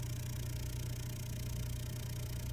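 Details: Ling LS-100 shaker, running with its cover off during an acceptance test, at full power: a deep, steady hum holds perfectly even with no rattles, buzzing or knocks. The response is clean, so it is running normally.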